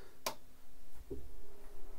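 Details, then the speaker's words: MINGDA Rock 3 Pro 3D printer (direct drive, 300x300x400 mm) just powered on: very quiet low hum with a couple of faint ticks, normal silent idle. "then we turn on the and I also make you feel how silent it is once"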